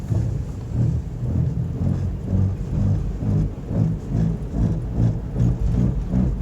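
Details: Car driving with a deep, thunder-like rumble swelling about twice a second: bad front wheel bearings growling; both front wheel bearings were replaced.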